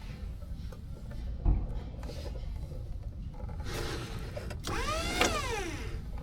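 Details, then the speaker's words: Skyjack JSIII 3219 scissor lift with no forward drive, lift/drive switch bypassed by jumper: low rumble, then an electric motor whine that swoops up and back down; the drive works, so the fault is in the switch. "Did you hear that? It actually works. So, it's just in that switch."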